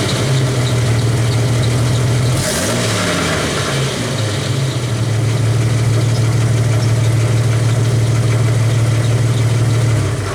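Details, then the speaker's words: 1991 Jeep Wrangler YJ idling: steady low idle with a loose, uneven metallic rattle in the exhaust, traced to the catalytic converter's broken-up insides rather than the exhaust hangers; converter to be deleted. "i figured it out that it was inside this right here so i'm gonna start it up so if it makes all that rattle sound so you guys can you know get an idea what i'm talking about"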